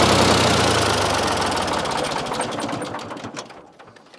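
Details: Ford 4000 3-cylinder diesel tractor after replacing seals on misfiring front injector: steady even diesel clatter with regular pulses on every cylinder and no misses, fading as it winds down; now firing on all three.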